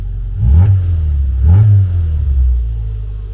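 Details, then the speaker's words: Classic Mini Cooper, cold, with a new full exhaust and the stuck throttle idle switch unplugged (idles a bit high): two clean throttle blips that rise and fall smoothly without stumble, showing steam; revving normally. "RS up nice bit Smokey I mean it's just steam I think yeah it's just water"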